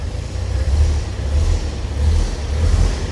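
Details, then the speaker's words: 1929 Chevrolet AC International 2-door sedan, just started cold indoors with choke slightly out, warming up: low even rumble, soft steady pulse, no knocks or ticks; normal idle. "Starts very easily. Let it warm up a bit. I haven't had it running today."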